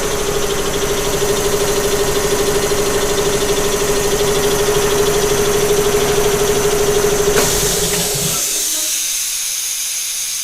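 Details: Newly installed shop air compressor heard from a distance; even motor hum with steady pump beat about three per second, then cuts off leaving air hiss; fairly quiet, running normally.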